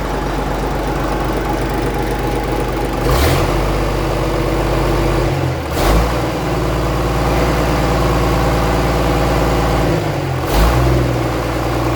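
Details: 1965 Gardner 6LXB 180 six-cylinder marine diesel, out of its boat on a temporary cooling system, first test run after restoration following failure at 80 hours: deep, even firing with a few brief swells in speed, no knocks or rattles; healthy running.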